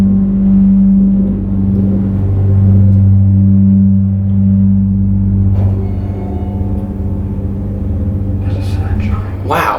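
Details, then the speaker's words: Original Westinghouse hydraulic elevator with a dry-powered pump motor, recorded while riding: a loud, steady, low droning hum throughout. Rider is surprised it is not low on oil; the motor runs harshly, cause unknown. "Wow, how is it not low in oil? That sounds horrible."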